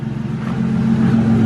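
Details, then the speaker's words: 3.8 V6 SN95 Mustang after a head gasket replacement, EGR removal and a fully reconnected exhaust with leaks fixed: low smooth steady idle hum with even firing and no ticking or exhaust puffing; runs quiet. "so let's hear how quiet and good she runs with a full exhaust she is purring like a kitten"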